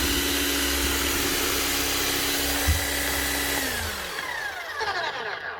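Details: Bosch GSH 11 E 240 V hammer after repair with an aftermarket copy armature: steady, even high motor hum with no rattle or grind, then a clean spin-down. It runs smooth, like a brand-new machine.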